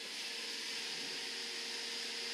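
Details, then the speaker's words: Suburban NT 24 SP furnace in 1987 Shasta motorhome after replacing blower motor, limit and sail switches: blower kicks on with smooth, even airy rush, no squeal; previous loud bearing squeal is gone. "i know if you can hear that fan just kicked on and that sounds really good to me because before when that fan kicked on you would have heard a really loud squealing noise from that bearing that sounds great that is awesome"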